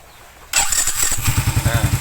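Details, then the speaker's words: New Smash motorcycle after replacing the starter motor whose magnet was cracked: short crisp crank catching almost instantly, then steady even firing; starter engages cleanly instead of the earlier weak, delayed cranking. "seperti itu ya, Guys. Bunyinya buncinya itu langsung seng gitu ya. Yang tadinya itu kayak loyo, kayak delay gitu."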